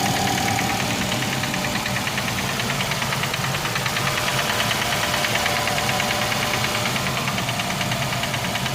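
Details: Nissan X-Trail T32 2.5, 11 months old, 5,000 km, at idle: a steady, regular knock about three times a second; connecting rod bearing fault, repaired by replacing the connecting rod and bearings in an engine overhaul.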